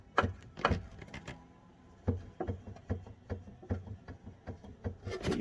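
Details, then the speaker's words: Honda Civic front-end steering knock: dull irregular clunks, about a dozen, as the rack is shoved by hand with tie rods removed; owner suspects the rack mounted to the chassis leg transfers the sound, before fitting new rack slider. Steering knock. "from the look of it i might be wrong but it looks a lot like the racks actually mounted to the in our chassis leg there which would be the knock that i'm having"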